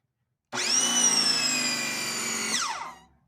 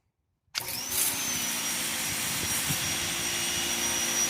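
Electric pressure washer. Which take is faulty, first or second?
first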